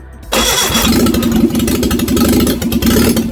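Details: Rebuilt Reliant Regal Supervan 3 engine on the workbench: cranks briefly, then runs on a steady, fast idle with a bit of choke and the throttle held by hand. Runs properly.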